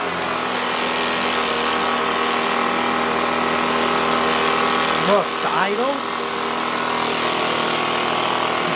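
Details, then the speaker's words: Echo PB265LN leaf blower two-stroke, freed from seizure, fuel leaking: steady, fast, buzzy high idle with idle screw all the way in; gas-soaked air filter suspected of blocking airflow. "this smells like gas so let's try it if that's soaked it's not allowing airflow"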